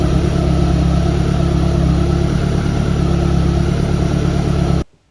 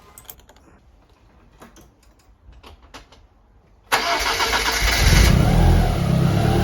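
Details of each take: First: Evo1 16v engine idling, timing belt overtightened, giving a steady low hum with a faint whirr: belt whine; belt would not turn 70° between cam wheels, so it is to be slackened and retightened. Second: Evo1 16v engine after loosening an overly tight, noisy cambelt: a few quiet knocks, then it starts and runs steadily and evenly with no belt whine, sounding happier.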